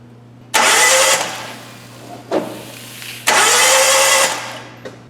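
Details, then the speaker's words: Hyundai interference engine cranking in two bursts of fast, even starter spin with no compression pulses. A compression test reads zero, but the timing belt is intact. "let's check the compression but you're going to want to see this let's get closer nothing zero compression that tells me they very likely uh broke the timing belt bent all the valves and uh that's it man so this head has to come off"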